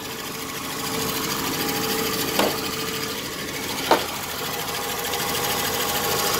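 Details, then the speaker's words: Dodge Dakota after oil pump and bearing replacement, now showing 66 psi oil pressure. Quick, light, sewing-machine-like ticking over a steady idle; top-end clicking is still present, source not yet found. "let's see what she sounds like a little clicking the top is still there I got to figure out what that is"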